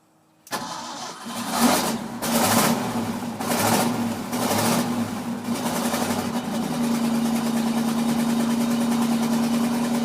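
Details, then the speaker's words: Ford F-600 carbureted engine, cold, just after an exhaust pipe weld repair: uneven surging bursts and stumbling on throttle before settling to a steadier idle, with a slight exhaust leak still present; cold carburetor hesitation. "it's cold luck it doesn't lock you try to back off at let idle then get back into it a little bit gotta love carbureted engines"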